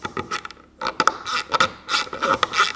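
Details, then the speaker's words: New Aldi Workzone bit ratchet screwdriver, turned anti-clockwise to undo a screw: irregular scraping clicks and rattles in quick bursts instead of crisp even clicks; ratchet slipping, broken on first use. "So we've got it anti-clockwise to undo, and you can hear straight away. But that's that, it's broken."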